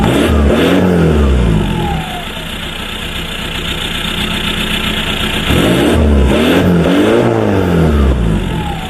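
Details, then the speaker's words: VW Passat B3 35i with ARL PD150 diesel swap on a new straight-pipe exhaust: loud deep idle with raw open-pipe drone and a couple of revs rising and falling, owner calls it weird; normal straight-pipe idle. "so yeah let's have a look what it sounds like shall [Music] we sounds a bit it's a weird sound"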